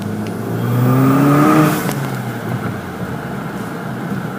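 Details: VW MK5 GLI revving: shrill screech rises in pitch with revs and fades as the engine drops back; source not pinned down.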